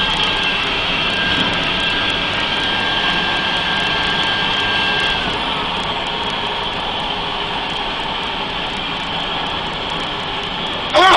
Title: Mercedes benz 3340 Truck Turbo Failure Testing l Turbo Sesi Arızası